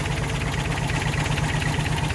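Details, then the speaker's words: Toyota 22RE engine, not started for 3–4 weeks, fresh fuel, good battery just swapped in, check engine codes 31 and 24 for the air flow meter: lumpy idle with a rhythmic pulsing throb and uneven beats; engine shakes with a clear misfire. "shaking like crazy. Yeah, it's definitely got a miss in it."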